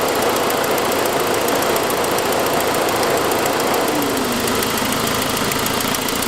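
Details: 2006 Saab 9-5, noise that followed an earlier louder turbo noise: fast, light ticking at about three per second, keeping pace with the engine, caused by an exhaust leak from a broken forwardmost exhaust manifold stud, not lifters.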